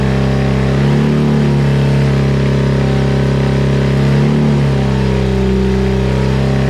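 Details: BMW R100 airhead boxer-twin cafe racer, first start after a full rebuild (new crank, connecting rods, rings, seals, gaskets, head refresh) with Bing carbs: steady deep boxer beat with smooth throttle blips, even firing, no knocks; normal running.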